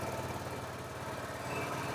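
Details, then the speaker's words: Suzuki Access 125 BS6 scooter: fast steady buzzing idle racing high as if throttle held, never dropping back. High idle from dirty idle control valve. "இந்த வண்டில பாத்தீங்கன்னா வந்து RPM வந்து ரொம்ப ஹையா race ஆகுது. நம்ம ஆக்சிட் கொடுத்துட்டே இருக்கற மாதிரி."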